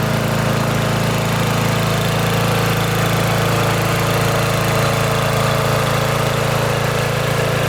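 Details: Riding mower with stock exhaust at full throttle, before quiet-exhaust muffler swap: steady, even single-cylinder drone with low throbbing exhaust beat, no misses or knocks; normal running.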